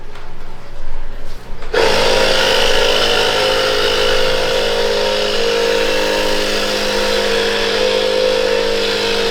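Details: Small inexpensive air compressor inflating a mountain bike tire: constant buzzing drone with a steady pump whir holding pitch under load; running normally.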